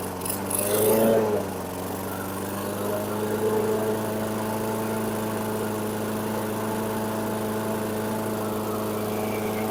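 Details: 2008 Weedeater 22-inch 500 series mower, engine model 10T502, after non-start repair work: steady fairly fast drone, no surging or hunting; RPMs a little high, possibly left high for heavy cutting; throttle cable and a possibly bent screw to check.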